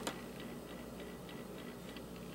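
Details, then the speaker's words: Newcomb classroom record player motor: quiet small motor with faint regular light ticking about three times a second over low hum; worn motor bearings, motor needs work. "No, it's got bearing issues. Hear that? The motor needs work."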